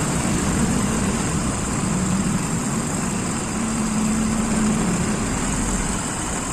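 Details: Daihatsu Zebra carbureted engine after carburetor service: steady, even idle with a smooth low thrum and no misses or knocks; engine settled and running fine.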